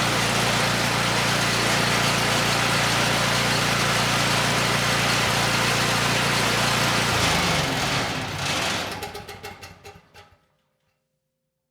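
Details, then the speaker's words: Homelite 5,000 W generator with 9 hp Subaru engine and Mikuni carburetor, light load plugged in; even, steady running with no hunting or surging, slightly slow, then winds down to a stop, despite carburetor needle-and-seat issues. "Also, these Mikunis, even when clean and working perfectly, love to run the engine lean and surge without a load. But, this one ran the engine perfect. There was no surging at all."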